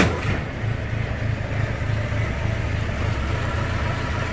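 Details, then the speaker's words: Pre-war Austin 7, warmed up, SU carburettor needle modified from No. 3 to richer No. 5, started with the starter pull: small four-cylinder catches at once, quick even idle, slight hesitation remaining; starts easily. "one quick fall and they start it'll start on the handle easily as well so it's not too loud but I spoke a bit of hesitation"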